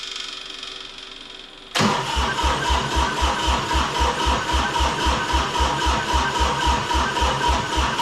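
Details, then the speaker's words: Three-cylinder Kubota diesel repowering a 610 Melroe skid loader, first fire-up. Steady starter cranking, about four compressions a second, never catches. No start because the fuel shutoff solenoid, wired to the toggle switch, pushed its pin against the rack when powered, cutting off the injectors. "turns out this fuel shut off Works opposite what I thought I popped her off there and actually with power to it the pin is out pushing on the rack shutting the shutting the injectors off so I cut the ground wire now she should fire up just wasn't getting any fuel"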